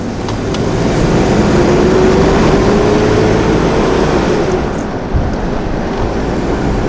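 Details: 1992 Toyota 4Runner, 3.0 five-speed: the thermal fan clutch's bearing failed, it is wobbly and locked up, and the fan roars like a garbage or semi truck from about 3000 rpm. Heavy whooshing roar with a rising hum on revs, before the clutch was replaced.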